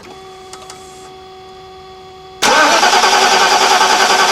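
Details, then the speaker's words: 1991 Mercedes-Benz 420 SEL (W126), second extended cranking test on a new Deka AGM group 49 battery; strong, even cranking about 200 beats a minute with no slowing: normal cranking, far better than the old 2007 battery. "that's much much better that's a performing of the should it seems like that battery can crank the engine over all day long"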